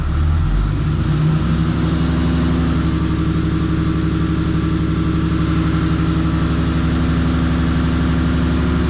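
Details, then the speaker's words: Freshly built 6.7 Cummins diesel during break-in, before hot retorque: deep, even idle with steady beat, no knocks or ticks; good oil pressure, charging, no leaks, sounds like a sewing machine. "Good oil pressure, charging. Sounds like a sewing machine. No leaks. That's a beautiful thing."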